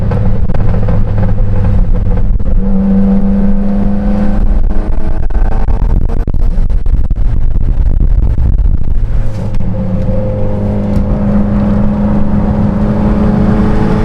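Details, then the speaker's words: Mitsubishi Lancer Evolution X with a newly fitted ETS turbo kit, recorded from inside with the window partly up, accelerating under load: strong engine drone with a rising turbo whoosh, spooling at about 3,000 rpm and pulling clean, with backfires; normal turbo spool. "Spooling at 3K. I mean, it's coming in nice. You can hear it."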